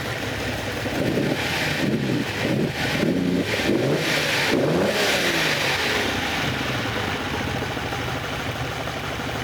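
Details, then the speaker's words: 6th production Lamborghini V12 being prepared for Goodwood, revved while trying a trick on each side: uneven, stumbling, lumpy beat with cylinders dropping in and out; misfire, owner suspects spark plugs, trick not working. "I'm going to try the other side now. Yeah, that one has uh has sort of come back to life actually."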